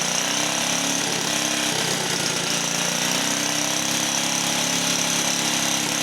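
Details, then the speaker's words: 1950 REO single-cylinder engine after badly worn ignition points sanded (no replacement set), started first pull without choke: steady, even idle, quick regular firing, no misses or knocks; healthy. "But it does run. We did get it running. It starts right up."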